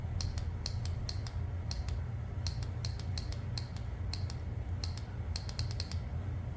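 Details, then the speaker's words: 2001 Nissan R50 Pathfinder 4X4 with newly wired LED light pods: crisp, sharp relay clicks at uneven intervals over a low engine rumble; the relay switches cleanly and works as it should. "Yep, and that relay definitely does work. You can hear it clicking here."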